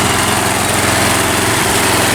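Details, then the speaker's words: Mountfield M3 lawnmower just started after refuelling: steady, fairly high buzz without dips or surges; idling a little fast, owner plans to let it run a minute before turning it down; a cable appears missing. "Oh yeah. A little fast. Maybe we should let it run for a minute or so before turning it down."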